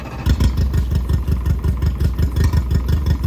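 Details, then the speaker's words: Mercury 60 hp 60 CT outboard, 150 hours, with a known fuel issue, freshly mounted on a Powercat boat and smoking: low lumpy idle with uneven thumps and skipped beats about three a second; sounds like it's missing. "Lumpy cam. It sounds like it's missing, don't it?"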